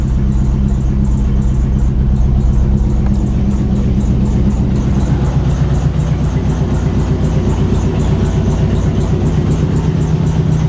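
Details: Dodge SRT-4 first start after about a year, just after all injectors were replaced with stage two/three injectors. It fires up and settles into a steady, even idle with a light regular tick and a little smoke. Runs well.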